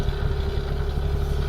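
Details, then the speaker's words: Classic car, automatic, just restarted after possible flooding, new exhaust back box: low, even burble with steady exhaust pulse, no knocks or ticks; ticking over nicely, sounds healthy. "okay took a little bit then but probably flooded it so we're up there ticking over nicely"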